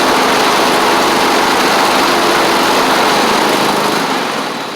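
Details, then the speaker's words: Troy-Bilt Mustang Z46 zero-turn, after wiring, solenoid and ignition coil repair: steady, unbroken buzz with no misses or knocks; runs properly once started though it tends to choke at start-up, possibly an overly happy fuel pump. "But uh it will crank up run. As you can see, it runs fine once you get it cranked."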